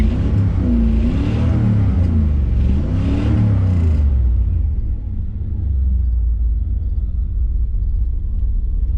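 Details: 1987 350 TPI tuned port injection, hard start and hesitation when cold: revs climb and sag unevenly as throttle is pushed, then drop to a low steady rumble; stumbling hesitation, only MAF code when unplugged, cause not pinned down.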